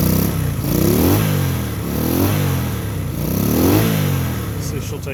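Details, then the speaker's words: 1965 Honda CB160 twin, 1070 miles, after decades sitting, carbs cleaned, new points and condenser, little choke: engine speed surges and sags every second and a half with popping; unsteady idle, needs more tuning. "so she doesn't run perfect but she runs you can hear kind of popping and farting a little bit"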